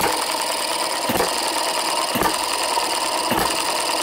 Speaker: well that's it running at about uh 45 48 49 hits per minute